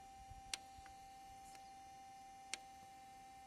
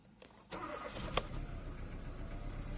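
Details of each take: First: 2014 Kia Cerato that cranks but won't start and had overheated: intake bank 1 oil control valve driven by scan-tool actuation test gives sharp single clicks; solenoid fires electrically but inner valve doesn't move, sludge-clogged; VVT oil control valve stuck, to be cleaned. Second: 2014 Kia Cerato that had overheated and wouldn't start, after cleaning the intake and the exhaust VVT solenoids and reconnecting them: quick crank, catches and settles into steady idle; cam targets match, normal start, though an idle stumble then appears.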